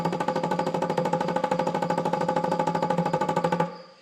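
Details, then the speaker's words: 1975 Chevrolet C20 3/4-ton squarebody, not run in nine years: a small inline electric fuel pump powered by a 12 V tool battery clicks rapidly, about three times a second, over a steady hum but isn't drawing fuel; such pumps push rather than pull. "all right up not sound like she's uh picking up much these pumps they're they're meant to push not"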